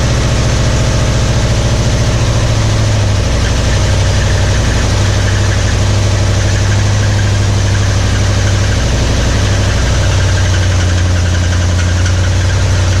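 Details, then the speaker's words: 1961 Mercury Meteor, first start in 24 years on carburetor cleaner after ignition parts were replaced: rough heavy idle with a low rumble and loose knocking and no oil pressure; the oil pump shaft under the distributor was found broken. "But yeah, it ran, but didn't have no oil pressure. I was like, what's all that noise? And it makes sense now."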